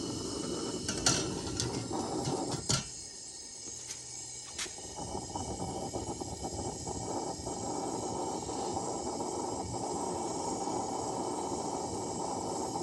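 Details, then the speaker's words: Coleman lantern (1952 Coleman 252 military-spec or 1950 242C) fireballing on startup around a poor mantle, a 21 mantle where an 11 was probably needed; sharp pops and flares, then steady loud fuel hiss from the burner; long fireball, apparently no damage. "I thought it blew a hole out the bottom of the manhole, but I think it's okay. Never had one fireball this long. That fuel is really hissing through there, though."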